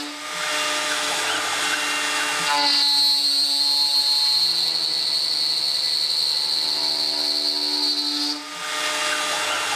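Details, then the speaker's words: Millright CNC Power Route on its first cut after fixing G28 homing with G28.1: loud cutting roar with a shrill squeal while the bit is deep in the cut. Spindle chatter from taking too deep a pass, worst near the top of the part and hard on the tool. "it shattered up here at the top a lot you hear that that was pretty helpful it's bad on my tool"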